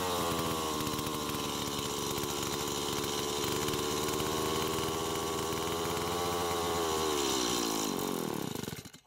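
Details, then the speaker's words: Stihl MS170 chainsaw as received, with a previous owner's new aftermarket carb, fuel line, air filter and fuel filter: a high steady buzz for eight seconds sags and dies; carb first suspected. "so that's what it was doing when we first got it what I thought was happening was that the aftermarket car but might have been faulty or that it needed to be adjusted to give more fuel to the engine"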